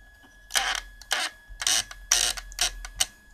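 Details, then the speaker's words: Fisher Japanese radio, tuning pointer stops short of the end: short scratchy squeaks about twice a second as the dial is worked, dry friction in tuning drive with broken mount letting the dial-cord wheel bind; fix is re-mounting. "بالنسبة للمؤشر يا جماعة ما بيجيش للآخر هنا، بيقف هنا وبيعمل صوت في التحريك."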